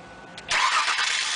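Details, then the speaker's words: Car with a suspected failing fuel pump, after fuses, relays, filter and direct hot-wiring checked out; with a battery charger connected to a run-down battery it cranks briefly, catches at once and runs steady and even; owner suspects a weak battery, or a worn pump connector, armature or contacts. "while the car was still charging I decided to try one last time to start the car and it started right up again and again"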